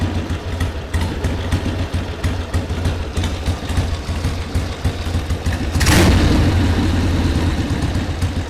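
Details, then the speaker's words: 1979 Harley-Davidson Ironhead Sportster XL1000, running for the first time in at least 25 years: a steady, lumpy low-pitched V-twin idle with an even loping beat and one throttle blip midway, no knocks or misses. Normal idle. "yeah it's idly great I mean that's awesome 20 at least 25 years this bike has not been running on the road at all and we now have it running idling and it's just awesome going to let it idle for a while"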